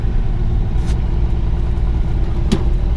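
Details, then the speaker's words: 1961 Ford Falcon 144 straight-six, three-on-the-tree manual, abandoned 20+ years, manual choke partly pulled, just started; low, lumpy idle with an uneven beat and stumbles; rough idle, Holley carburetor seems unhappy. "yeah it's finicky that Holy carb is doesn't seem like it's all that happy"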